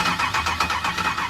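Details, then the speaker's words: 1964 Chevrolet El Camino with LS engine swap, first start-up, fuel not yet hooked up, fed only starter fluid: short cranking with a few uneven pops that never catch; crank no start from no fuel supply. "i'm gonna give it some starter fluid and i'm gonna uh let me figure out something real quick i don't have the fuel hooked up or the uh starter wire this starter right right here"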